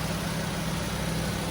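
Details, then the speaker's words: 1968 Shelby GT500KR convertible, numbers-matching 428 V8 with 3.91 gears and smog setup, battery slightly run down: fires right up into a low, steady, even idle with no knocks or misses; runs good. "The battery wore down a little bit, so it took it, but this thing fires right up. Really runs good."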